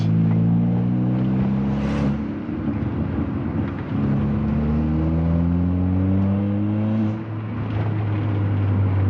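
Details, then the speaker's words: Engine-swapped Mk6 car with entire new exhaust system held by temporary exhaust clamps, camera between headrests: revs rise and fall with low-tone exhaust and a chuffing, breathy blow that grows with revs; clamped joint leaking. "I can hear it blowing. When I get up in the revs, it's going, and you can hear it. But I am just using exhaust clamps at the minute, so it is a little bit different."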